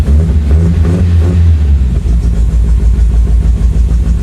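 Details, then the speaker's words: 1975 MGB that sat about 16 years, first start after an overnight battery charge: engine catches and revs, then settles into an uneven, stumbling beat with irregular pulses; not running well, rough running. "oh boy well she she's not running well"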